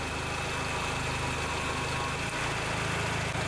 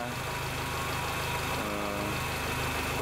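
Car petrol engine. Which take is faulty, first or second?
second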